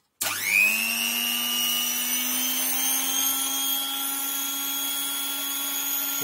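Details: Scarlett SC 042 hand mixer after repair: motor bearings and gears relubricated to cure scraping and whistling when hot. The motor spins up fast to a steady, even high whine with no squeal or grinding; normal running.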